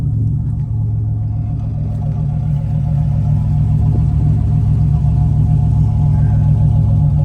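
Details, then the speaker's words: Abandoned one-owner 32,000-mile Buick Grand National turbo V6, sat for years in a back yard: steady low rumbling idle with an even beat, no knocks or rattles; motor doesn't sound bad, normal running. "the motor don't sound bad though"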